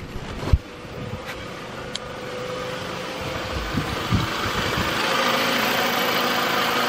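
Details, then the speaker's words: 2004 Toyota Camry after replacing a starter that gave weak starts: quick start, then an even steady idle with no grinding or dragging; healthy. "started pretty good it doesn't sound like it's falling in on its face when it's trying to start so there we go"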